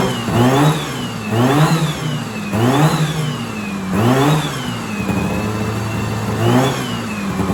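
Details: 1970s Sno-Pony snowmobile with 340 twin two-stroke, revived after 20–30 years sitting in a shed; after fuel began pulling up the line, it revs up and drops back cleanly every second and a half, sounding like a crotch rocket; normal revving.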